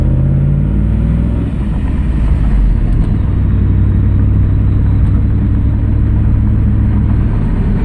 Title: Exhaust leaks are kaput